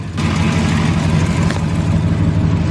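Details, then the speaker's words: 2012 Ram 1500 Hemi V8 (6-speed) with a newly installed 3600 stall Circle D torque converter, cold, idling. A part, thought to be bent, hitting a torque-converter bolt tooth had made a noise at low idle and is now gone. The idle is a deep, steady rumble with no knocking or scraping. "think it was bent and hitting one of the teeth, the torque converter bolts. But it's not doing it anymore, and it was doing it at low idle."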